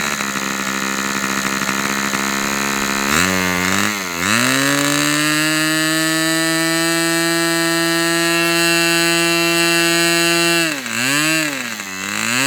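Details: Customer's Fox twin-cylinder glow model engine on outdoor test run, glow igniter left on: clean steady high-pitched scream holding even revs after a couple of blips, no misfire or sag; running healthy.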